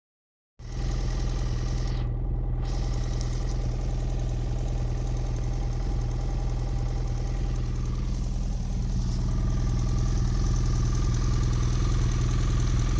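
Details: Hot idle on a 2010 BMW F800GS: a steady, regular knocking tick about three per second over the low twin thump; abnormal engine noise when hot, source unclear, owner wonders whether valves or piston.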